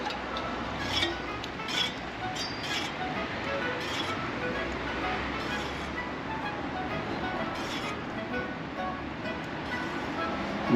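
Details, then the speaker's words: Road bike after a crash: a light, hissy scraping repeats about once per wheel turn from the rear disc brake, a bent rotor rubbing; fixed by bending it straight with a rotor truing tool. "後輪の方からディスクブレーキのあたりでしょうね。サリサリ、サリサリ、嫌な音が続いてたんですよ。"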